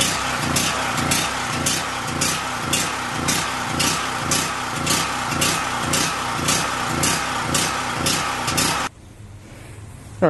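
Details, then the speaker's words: New Powermate PM0143250 3250 W generator, first start after adding oil and gas: engine surges unevenly nearly twice a second, then cuts out; misfire from fuel starvation because the fuel petcock was shut by mistake. "the reason it was uh sort of missing is because i turned the fuel peacock off i turned it on but a little gas getting the carburetor and then inadvertently turned it off a few seconds after i stopped the camera"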